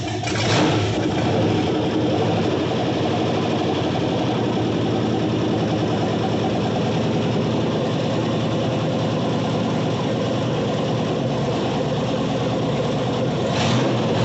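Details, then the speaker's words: 1978 El Camino with a rebuilt, cammed 6.0 LS V8, first fire-up: a loud, lumpy idle with an uneven loping beat that never settles. Rough running; owner suspects it isn't getting enough air because of the cam and says it needs tuning. "and she wants to run [Applause] probably just not getting enough air because of the cam go for it"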